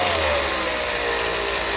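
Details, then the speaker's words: Revere 85 movie projector motor after oiling: steady whine sags in pitch as light hand drag is applied and nearly stops it, then holds lower; weak motor, owner suspects bad brushes, not confirmed. "okay now this spins right here then just put a little drag on it I can almost stop it I'm not really pressing hard so the motor isn't very strong I'm probably going to say that the brushes are bad"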